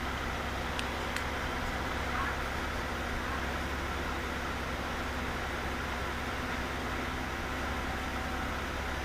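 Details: 2005 Aston Martin DB9 Coupe V12 warm at idle: deep, slightly lumpy exhaust hum from a misfire felt on one bank; coil packs and plugs suspected, dirty injector cleaner didn't help.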